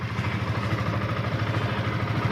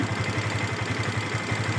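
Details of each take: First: Yamaha FZS V2 single-cylinder motorcycle at 437 km, idling after tappet and timing chain adjustment: a steady, even idle with a soft regular beat and no tapping or chain rattle. Normal idle. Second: Yamaha FZS V2 at 437 km, idling: fast, light, rhythmic ticking clatter over the exhaust beat from loose tappets and a slack timing chain, blamed on rough riding without proper break-in; tappets and chain need adjusting.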